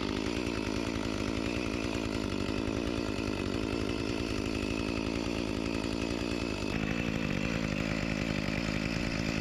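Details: Echo CS-352 chainsaw after a replacement carburetor and gasket cured its start-and-die fault, cutting a log after a cold start: steady high two-stroke buzz holding evenly with a slight dip under load; running healthy, with minor bogging blamed on a chain needing sharpening.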